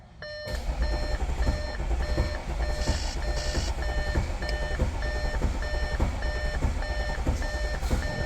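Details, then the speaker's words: 2014 Audi SQ5 3.0 turbo diesel, very high kilometres, crank-no-start: cranks without firing, lumpy starter rhythm under scan tool beep; very low pressure in live data and uneven cadence suggesting one cylinder low on compression, relative compression test next. "As you can see, we've got very low pressure. But what's more worrying is that cranking cadence."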